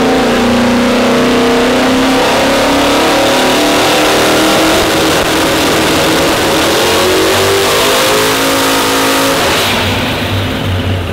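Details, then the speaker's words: Drag car on the dyno: loud revs climb steadily and evenly under load with no RPM flash when the button is released at launch; labored launch, cause not confirmed. "click the button super labored you guys probably hear it like normally when you let go the button you know you get that big swing up in RPMs"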